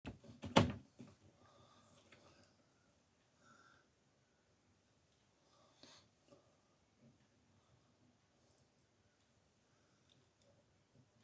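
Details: Philips B3X80U/05 tube radio: clicks on, stays quiet while warming, then a low steady hum or buzz swells louder with no program audio; cause unknown.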